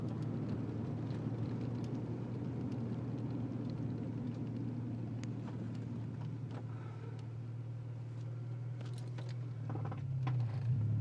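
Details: Honda Integra making sharp clunking noises over low road rumble while turning; cause unknown.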